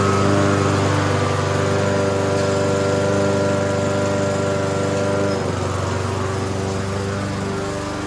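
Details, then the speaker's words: Toro lawn mower after spring tune-up, run to check the drive; small single-cylinder engine running steady and even, no misses or surging, healthy. "Okay, it's ready to go for spring. I'm gonna start it up here, run it, make sure the drive works."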